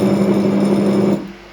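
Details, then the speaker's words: 2.2 kW 380 V three-phase motor for a homemade bench grinder, run on 220 V single phase (about 1.1 kW) with starting capacitor removed right after start: clean steady low hum, no growl or flutter, then drops away smoothly; normal running. "you see, I've removed the capacitor, and it's running smoothly. The capacitor is only needed for starting."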